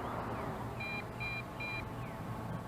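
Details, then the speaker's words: Potensic D80 drone (Bugs 2SE clone) in flight on its maiden flight: three short two-tone beeps over steady propeller hiss, the low-battery warning telling you to land. "we can't see it but you can hear it beeping that means that the battery is low and we need to bring her on down"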